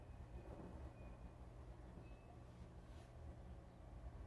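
A steady, even low rumble with no scraping or clicking: a small bearing spinning smoothly.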